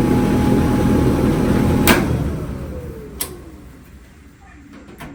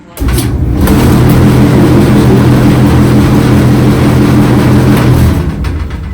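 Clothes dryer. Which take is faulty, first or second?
second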